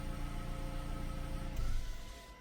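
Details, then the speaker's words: Electric parking brake with flashing brake light and code C112A (motor unit position): actuator motor keeps whirring well past the normal two to three seconds after release, failing to shut off. "I can hear the activator is still running it should only take like 2 three second it keeps running"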